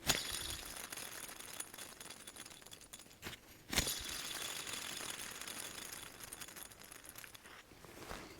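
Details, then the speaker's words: Land Rover Defender ERR6951 tensioner pulley bearing spun by hand near microphone: dry, gritty hiss with scattered ticks that fades quickly; grease gone, noise worse when engine running this past week; replacement due. "I don't know if you can hear that, but it is very dry. And when the truck's running, the last week has been a lot worse than it has been."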